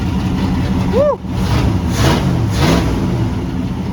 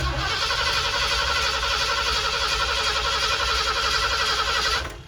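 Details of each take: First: 1979 Ford Bronco after running a red wire direct to battery positive: engine catches right away, steady even idle with smooth throttle blips; healthy. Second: 1979 Ford Bronco under restoration, with a new relay setup and the battery charged; brisk, even cranking at about four turns a second that never catches, then cuts out; crank no start, owner suspects the distributor, coil or a bad ground, with ignition power possibly dropping out.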